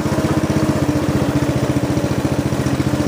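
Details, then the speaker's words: Snapper riding mower, client's machine, pulling uphill in high gear at low engine speed: steady, even chug about four beats a second holding firm under load; drive system working perfectly fine. "this one's working perfectly fine that's a good way to check the health of your machines drive system"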